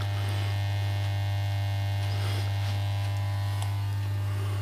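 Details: Budget valve amplifier while music plays: loud, constant low hum with a faint buzz on top, unchanged throughout; source of the humming not yet found.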